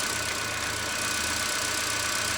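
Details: Ford Fusion idling during a battery test, charging well, leads about to be disconnected; steady, even idle with a smooth low hum and constant hiss, no misses or surges; normal idle.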